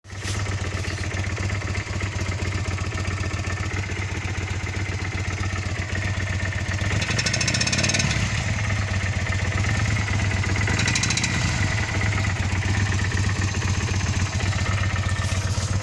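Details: 1997 Kawasaki Vulcan 800 V-twin motorcycle, 70,000 km, idling with a steady loping beat and a faint recurring knock; owner asks what causes the engine knocking at idle.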